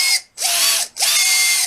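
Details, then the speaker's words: Red Cat 550 brushed RC motor, often submerged in muddy water: a piercing, high screech in bursts when letting off or at certain throttle points, coming and going; most likely it needs lubricating at both shaft ends and cleaning. "you hear when you let off or at like a certain point of the throttle it'll make this loud Screech it's uh it's it's pretty frustrating and it uh kind of hurts your ears almost"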